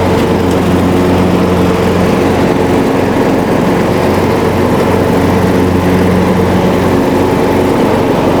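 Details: Riding mower after fixing a deck-engage cable that wasn't moving with the lever, so the belt now tightens: loud, even constant-pitch drone with no surging, slipping or grinding; runs smoothly with blades engaged.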